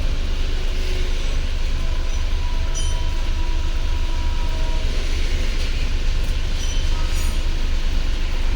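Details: Mahindra Bolero Power Plus BS6 diesel, DEF no-start warning, running on a jumper battery. Started about 30 seconds ago, temperature below the 75° needed for DPF regeneration, soot mass 18 g. Even, deep diesel chatter at a constant beat, no knocks or surges. A normal idle.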